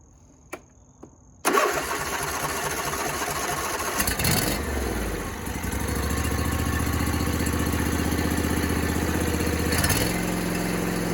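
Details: John Deere D125 twin-cylinder mower that would not start, with a suspected bent pushrod and loose adjuster: a couple of clicks, then it catches, dips, and settles into a steady, even idle with no popping or backfire.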